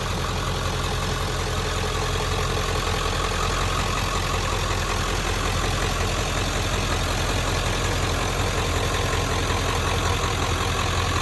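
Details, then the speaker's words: 1997 Ford F-250 with 7.3 Powerstroke diesel, 125,405 miles, start-up and idle: steady, even diesel clatter with a deep rumble underneath, no misses or knocks; healthy idle. "let's go ahead fire this 7-3 up so we can hear it start"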